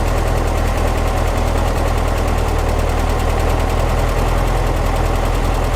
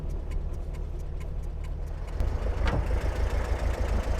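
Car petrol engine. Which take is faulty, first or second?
second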